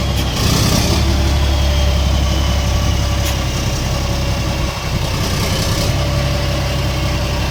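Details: CAMC CM6D28 430 hp diesel after rebuild of valves, piston rods and rocker arms broken by overusing the exhaust brake: a loud, deep, steady idle with an even beat, no knocking or missing. Running healthy.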